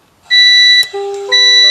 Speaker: langsung bereaksi ya token listrik habis silakan segera isi token listrik habis silakan